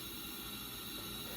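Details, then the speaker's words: 2006 LTZ400 leak-down test, engine off: tester shows 100% leakage, air hissing out through the carburetor, meaning intake valves open or not seated; nothing heard from the radiator; valve problems confirmed. "the intake valves are open or at least not seated very well. Don't hear anything coming from the radiator. But either way, something's going on with the valves."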